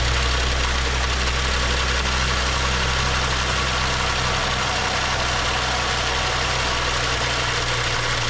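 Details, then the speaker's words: BMW 535xi M Sport with a rebuilt engine knocking after about 2500 miles, restarted after a new high-pressure fuel pump and cam follower: the same busy, uneven metallic top-end rattle at idle persists, with the same HPFP code; cause unconfirmed. "we start it back up and we're getting the same type of a rattling sound"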